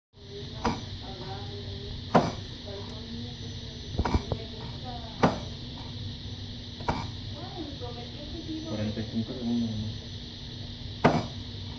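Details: Msuper V3 S 1300Wh: sharp irregular pops, about six in twelve seconds, over a steady electric hum and hiss; popping noise.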